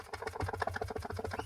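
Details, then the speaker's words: Ceiling fan, already rewound and fitted with new 6201/6202 bearings, still noisy: rapid loose clicking rattle when shaken by hand, the bearing sitting loose in a worn seat. "यह ऐसे हिलाने से भी कितनी ज्यादा आवाज कर रहा है। ठीक है?"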